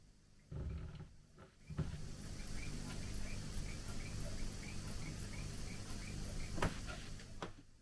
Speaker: Auto shut off doesn't seem to work. Well, that's lovely. I need to check the manual on this one. I'm pretty sure it's supposed to auto stop at the end.